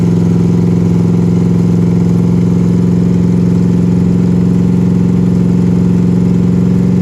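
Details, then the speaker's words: 1982 Chevy/GMC square body truck revived after about five years parked in a field: deep, steady V8 burble at a low idle with an even beat and no knocks or stumbles. Good oil pressure, alternator charging; running smoothly. "sounds like it's running pretty dang good"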